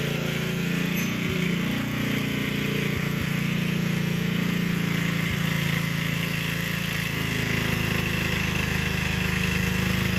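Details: Gilson rear-tine tiller, a junkyard find from 4–5 years back, test run after cleaning dirt out of the sticky recoil. Small engine chugs steadily under load, holding speed, with a few brief tine clatters. Runs fine. A fuel leak was noted at the tank/carburetor seam.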